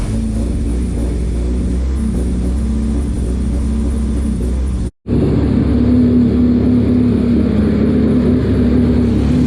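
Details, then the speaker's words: Honda Civic, rebuilt engine at first startup with the rear exhaust disconnected: loud, raw open-pipe idle with a steady, even beat and no knocks or misses; normal idle. "Alright guys, so I was able to get this thing started, so I think it sounds pretty good."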